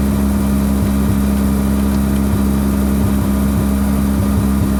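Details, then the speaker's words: Mazda RX-7 rotary with hard-start issue, first start after pulling and refitting the plugs: steady droning idle broken by uneven pulses and stumbles, strong smell of raw fuel; rough running. "see how rough it was smells like a lot of raw fuel too"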